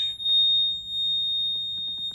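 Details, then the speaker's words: Takeuchi digger in for an oil leak: continuous high-pitched fuel warning buzzer with no breaks, sounding because the fuel gauge isn't working. "I hate that noise. Fuel gauge isn't working either."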